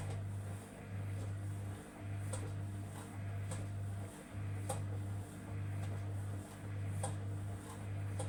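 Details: Samsung EcoBubble washing machine: motor hum drops out roughly once a second, each time with a light knock or click; weird noise, cause unclear.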